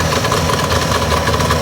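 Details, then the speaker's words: 1962 Johnson 75 hp outboard with electromagnetic shift, burned reeds, rebuilt fuel pump, adjusted timing, new plugs and coil: loud, ragged, lumpy two-stroke idle that never settles; runs a few minutes then dies, hard starting, cause unconfirmed. "it runs for a few minutes and then just dies and it's very hard to start"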